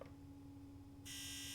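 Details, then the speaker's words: Sea-Doo GTX DI 951 (Millennium Edition), rebuilt engine that won't start, low fuel pressure: injector activation test via diagnostic tool gives steady low hum then a sharp high buzz; fuel injectors firing normally, no faults. "Yeah. Uh oh yeah, it is activating. I'm going to try that and make sure. Yeah, I didn't hear it before, so I wasn't sure. So, all that stuff is working."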